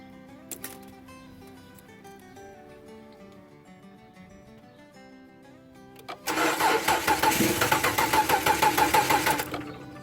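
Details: 2007 Dodge Charger cranking steadily about three beats a second for several seconds but never firing; spark confirmed present, fuel pump suspected bad, no Schrader valve for fuel pressure test.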